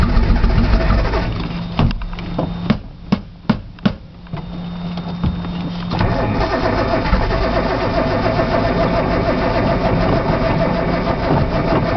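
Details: Nissan Z, cold outside, cold start valve found unplugged, solenoid checked, brake cleaner used as starting fluid: starter churns in repeated bursts with a few sharp pops, never running on its own; cranks, no start.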